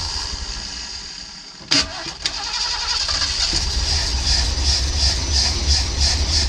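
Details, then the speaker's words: Custom 1979 Ford Pathfinder Quadravan 4x4 with a new carburetor, fuel poured in by hand. Starter whirs, then the engine catches and runs unevenly with no steady supply. Owner thinks the fuel pump needs replacing because it only runs on fuel he adds. "Well, I think it needs a fuel pump because it only runs on whatever fuel I put in it."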